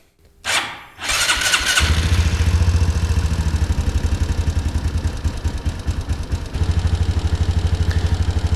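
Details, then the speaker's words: Honda CT125 Trail 125 on first start after a Yuminashi big bore kit, camshaft and 170cc injector, wideband not yet warm: it fires after a short crank into a lumpy, surging idle, running rich at 10.7 AFR. "um it's alive now and as you can see it's running pretty rich at 10.7 and it runs really rich right now"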